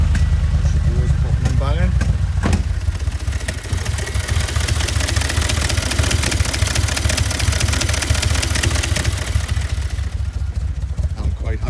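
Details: 2008 Audi S5 V8 FSI, pressure gauge fitted in place of a pre-cat lambda sensor: deep, uneven, lumpy rough running. Exhaust pressure reads normal, ruling out a blockage; a camshaft/valve timing fault on the passenger-side bank is suspected, not confirmed.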